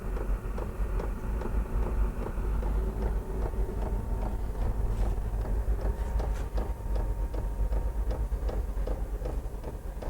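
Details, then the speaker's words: Cheap diesel heater starting up, powered by a Jackery and drawing about 61–93 W: light steady ticking of the fuel pump over the fan hum, a common complaint with these heaters; normal fuel pump ticking. "so that tapping sound is one of the complaints for obviously that they're they're cheaply made"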